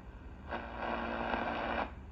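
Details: National HRO 500 receiver after band switch rod change to aluminum: flat static hiss with no carrier or voice; no stations received, dial reading seems wrong, HF oscillator wafer damaged; cause not confirmed.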